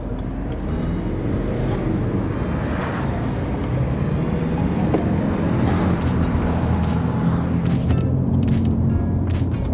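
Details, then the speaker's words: BMW 3 Series E90 320d diesel while driving after a turbo replacement: steady low droning hum persists under road and engine noise, so the turbo is ruled out; owner has no idea of the source and feels the car may be slower. "still have the droning noise so the problem is obviously not the turbo I have no clue where this drony noise is coming from if it's not the turbo"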